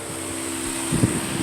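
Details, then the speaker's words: 1997 Toyota Camry LE 2.2L 4-cyl, overheating concern: steady whir swells to fuller rushing hum as the radiator fan kicks on when its relay is wiggled; intermittent fan, relay or socket fault, relay suspected bad. "It wiggled that relay just ever so slightly, and did you hear that fan come on? That's the relay for this one fan over here. So there's something wrong with that relay or the socket that it's in. You see now, the fan's off again."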